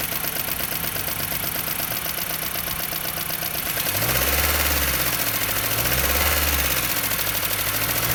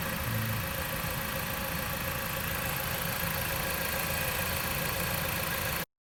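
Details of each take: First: Jeep Patriot 2.4 knocking for 1000 km despite oil change and flush; steady fast ticking knock following engine speed at idle; exhaust valve clearances measured 0.30–0.55 mm, heavy camshaft journal wear and scoring in the cylinder head; head to be removed. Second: Jeep Patriot 2.4 after top-end repair for a knock: worn, scored camshaft rockers and head restored, valve clearances (exhaust had measured 0.30–0.55 mm) readjusted, old chain kept, new cover. Reassembled engine started: steady, smooth idle, no tapping or knock, normal.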